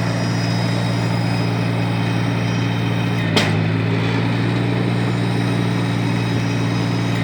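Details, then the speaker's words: 1953 Farmall Cub tractor after the fix: steady even low idle rumble, loud high-pitched squeal now gone; normal running. "thank you for all this week sure has gone that high-pitched wheel that we heard squeal that we heard earlier is certainly gone"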